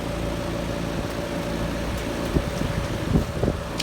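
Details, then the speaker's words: 2022 Trane XR14 3.5-ton heat pump outdoor unit in cool mode, camera on unit: constant low compressor and fan hum with a few light ticks, no grinding or rattle; running normally. "Sounds really nice."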